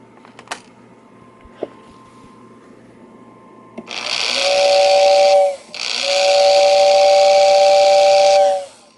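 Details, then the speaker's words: 1949 Lionel steam engine whistling tender after restoration: two blasts, each quickly spinning up to a steady two-note whistle over an airy hiss. The whistle motor works normally. "So let's hit the whistle button and let you hear it. So yeah, we'll spin around here. See the thing spin up. It's doing good."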